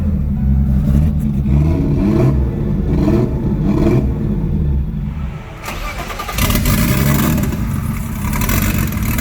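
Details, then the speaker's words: Drift car engine after overheating: rough, lumpy revving with an uneven pulse and stumbling note as it drops back. Owner suspects blown head gasket or rings; engine done. "We have a messed up head gasket or rings or something. She's done."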